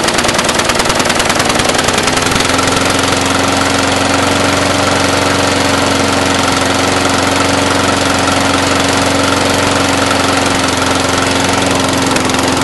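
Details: Brand-new Briggs & Stratton 450 lawn mower, under 2 hours use, fresh fuel, clean air filter, sooty plug, belching black smoke, throttle has no effect: steady idle with uneven, stumbling beat; rough idle, cause unknown.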